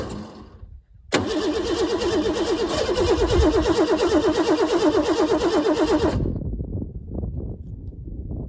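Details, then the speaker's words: 1988 Ford Bronco II cranks steadily at about three pulses a second after starter fluid but never fires; no fuel pump whir heard at key-on; it had stalled and wouldn't restart; dead fuel pump suspected. "So something's not right here. I think I have to take a closer look, see if the fuel pump is getting anything going. I don't hear a whirling when I turn on the ignition before I start it, so I'm wondering if that fuel pump is just out."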